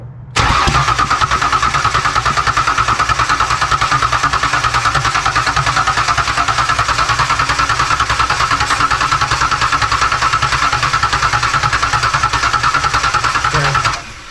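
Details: Rebuilt Ford Ranger 4.0 on first start (new heads, new injectors): steady starter churn about three beats a second for over ten seconds, never catches. New plugs found fuel-wet and sooty; fuel issue suspected, unconfirmed.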